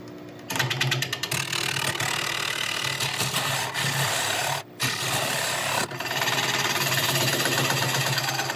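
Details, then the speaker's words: Lathe coring a 13.5 in wide, about 5 in deep elm natural-edge bowl: rough, uneven rasping with fluttering drag and brief stalls as the coring blade binds in the kerf; clearing material for access. "okay I'm not giving up yet I just need to I think clear a little bit of this material out of here just to give me a better access cuz as you can hear it's starting to bind"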